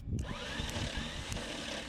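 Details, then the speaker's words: 1972 Chevrolet Malibu four-door hardtop that sat 25 years; starter whirs free with scraping rattle and engine does not turn over, even after hitting starter with hammer. Owner suspects Bendix drive not engaging flywheel. "If the Bendix ain't Bendixing, we're calling her."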